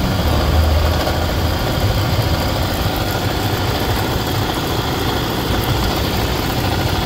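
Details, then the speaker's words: 2016-up Toyota Fortuner diesel at idle: rough rattly clatter and light ticking over the engine from the accessory drive; worn alternator pulley and rear alternator bearing, replaced along with drive belt. "Okay mga paps, nalaman natin kung saan nanggagaling yung ingay. Ayan, makalansing. Lumalagitik, oh. Tapos parang magaspang yung takbo niya."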